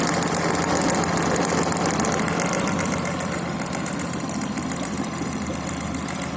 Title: Стук в моторе